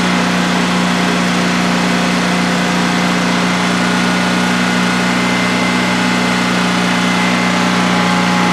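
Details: New DuroMax XP15000HX generator in a shed, second start-up on propane with the exhaust fan off: a loud, steady drone at constant pitch with no knocks or surging during a 5-minute test run. Normal idle, no issues.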